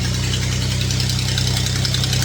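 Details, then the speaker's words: 2017 Ford F-150 EcoBoost V6, true cold start after a cold night, idling: fast, even ticking keeping engine time, spacing out as idle drops; exhaust manifold leak from snapped bolts, gap narrows as manifolds heat. "Yes. There. I can definitely hear it this morning. As the engine idles down, it gets a little more spaced out cuz it's running slower."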